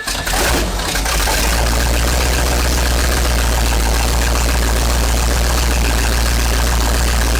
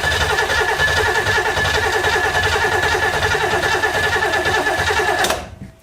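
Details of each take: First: 1970s Sleek Craft jet boat's Oldsmobile big-block V8 with fresh oil, warming up at idle while initial timing is set with a timing light: brief start-up flutter, then a deep, even, steady rumble with no knocks or misses; healthy. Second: 1970s big block Oldsmobile-powered Sleekcraft jet boat, sat a couple years: uneven stumbling engine beat with ragged firing that cuts out and dies; water apparently in the fuel line causing rough running and stalling.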